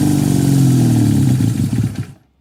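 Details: 1968 Honda CL175 single-cylinder with 300cc supercharger, first start in 30 years, garage about 92°F, on car battery: fast uneven pulsing idle then cutting out; idles high, owner suspects vacuum leak, carburettor jetting or oversized blower.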